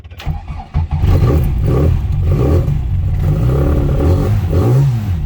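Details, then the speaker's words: Classic Mini 1380 in neutral after a misfire in traffic; number four plug was soaking wet, all plugs cleaned and refitted: engine catches and revs cleanly with no stumbling or popping; now running normally. "yeah sorted I really thought it was going to be head gasket or something but no she's back to life again absolutely brilliant"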